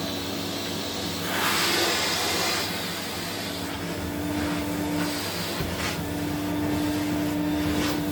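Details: 1979 Electrolux Z96 cylinder vacuum, floor head on carpet: steady motor whine over loud airy rush, pitch shifting as head meets carpet; sounds laboured, owner suspects it needs suction control/air release.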